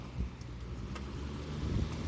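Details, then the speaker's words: Vintage box fan motor, oiled with a zoom spout and blown free of dust; it spins down from low speed with a low, smooth hum that fades gently, with no scraping or ticking, a normal spin-down. "Oiled it with zoom spout, works a lot better. Let's see about spin down from low."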